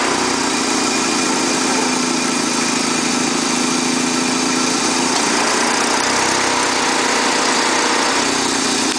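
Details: Engine idling steadily with a harsh, hissy rattle and whirring on top, no clear rhythm; abnormal noise with radiator/engine problem suspected on a Neon, source not identified.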